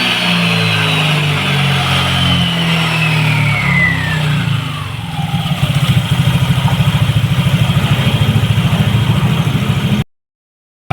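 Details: Yamaha NMAX All New v.2 scooter after repair of a fault that made it stall when revved and stumble on pull-away (electrical system fixed, sticky throttle cable lubricated, some parts replaced): revs cleanly and drops back to a steady, even idle with no stumble or cut-out, running healthy.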